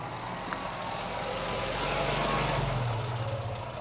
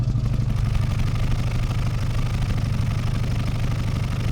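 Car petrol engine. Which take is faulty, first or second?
first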